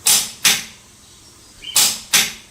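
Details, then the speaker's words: TONE T4MN140CH-QL preset torque wrench (1/2in, 140 N·m): two pairs of sharp, crisp clicks with silence between; the wrench breaks over cleanly at its set torque, normal. "TONEさんのトルクレンチのカチッ。の音が凄く気持ちいい"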